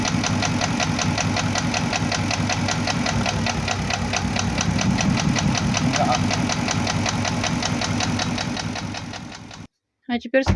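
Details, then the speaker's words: First-generation Porsche Cayenne Turbo (955) running with a hard regular knock about four per second, unchanged when cylinders are killed by disconnecting coils; mechanics suspect bore scoring, perhaps cylinders 5–6, though owner says an endoscope check found none. "скажи что это мы делали что мы Тестируем того что отключаем определенный цилиндр этот звук должен был пропасть это бишь когда он не работает Если задир в одном цилиндре"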